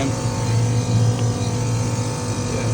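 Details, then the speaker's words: Old R22 ducted split system with piston expansion valve, after leaking suction access valve and failed crankcase heater replaced and refrigerant topped up, run a further 10 minutes: 10.6K superheat. Steady low compressor hum, no knocking or surging; normal running. "Yeah, 10.6K superheat, happy with that. Yeah, about 10. Pipe temp."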